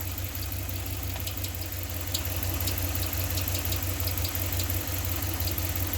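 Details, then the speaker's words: 2015 Ram 1500 with 5.7 Hemi at idle with the drive belt removed; customer says it sounds like a chick inside. Light quick ticking about three per second from inside the engine, not the pulleys; cause unconfirmed, head teardown considered. "y se oye y se oye qué significa esto el ruido lo tenemos internamente no un río lo tenemos con la parte del motor"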